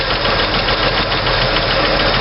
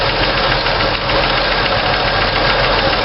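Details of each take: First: 1964 Chevy II with hydraulic lifters, valves adjusted with engine running; loosened rocker clatters, then tightened past zero lash with a bit more preload so the clack goes away, steady quiet valvetrain idle. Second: 1964 Chevy II idling while valves are adjusted with the engine running: a fast, light clatter from a loose rocker with excess valve lash fades as the nut is tightened to preload the hydraulic lifter. The valves were found out of adjustment, apparently cranked down too far.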